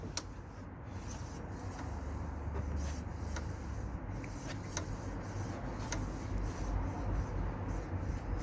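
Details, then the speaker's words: Lexmoto LXR 125 wheel spun by hand: sharp, uneven light clicks over a quiet low rumble, louder the harder it is pulled round; the wheel bearing was checked and is solid; the brake caliper is ticking against the disc. "The harder I pull that round, the louder the click is. I've checked the bearing, the wheel's solid."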